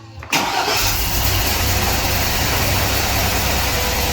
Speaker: It doesn't even sound that bad. You wanna know what's sad? The ticking's gone. That sounds better, right? It sounds so much better for some weird reason.